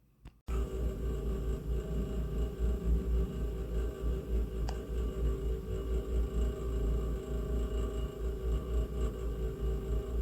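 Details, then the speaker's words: Heating radiator makes a quiet steady low buzzing drone with faint higher tone and slight pulsing, recorded on phone and amplified; owner has no idea how the radiator makes this sound; radiator buzzing, cause unknown. "Yeah, so I amped it up and I'll put a clip on after this. Yeah, it's I have no idea how my radiator is even making this sound."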